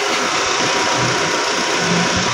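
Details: 2017 Nissan Almera idling about 15 minutes with A/C on after replacing a seized noisy compressor and flushing the system: even hum and fan rush, no grinding; high side 200, normal.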